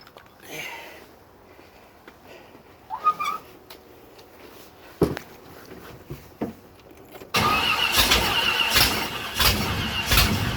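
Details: 1967 Corvette small block at first start after rebuild work: several seconds of weak cranking and scattered coughs before it catches and runs rough. The distributor was initially 180° off, and new lifters took a while to pump up with oil pressure, making it hard to start and barely running.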